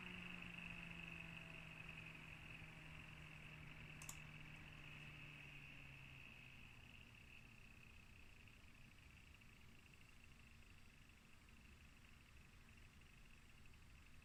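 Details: Asus Z390-A Prime motherboard with a 9900K at stock settings: a thin, steady high-pitched whine with a buzzy edge over soft fan hum. VRM coil whine/rattle is suspected, mainly under load but also at idle.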